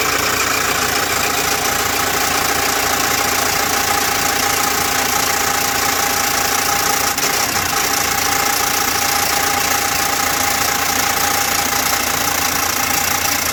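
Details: Engine that ran out of oil from a broken oil pump and was driven until it stopped: loud, harsh running with a steady knock three to four times a second; knock from oil starvation.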